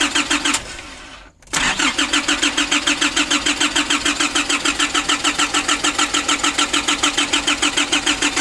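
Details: A 2005 Nissan Urvan diesel with new oil, a new filter and new fuel lines from the tank, and a new battery, is cranked after sitting for years. It catches after a short gap and settles into an even clattering idle. Normal start after the diesel pump fix.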